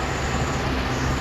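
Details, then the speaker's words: 2012 Ford F-150 3.5L EcoBoost, engine running, brake vacuum pump behind driver's side headlight: constant coarse grinding drone, whole pump shaking from corroded internals with rocks and dirt inside; bearing grinding; covered by 10-year/100,000-mile recall. "so when i touch it under the wheel over here you can feel it but the whole thing is shaking because it's messed up and the reason that happens is because it corrodes in there the original one is metal and it corrodes"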